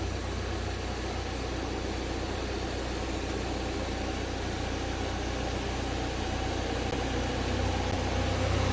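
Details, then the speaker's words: Car just regassed with AC refrigerant, started with the AC on: the compressor engages and the idle settles under a smooth, even cooling-fan rush with no flutter or rattle. The air blows cold. "fans are working that's good that is just uh it's centralizing it's coming back down again which is good"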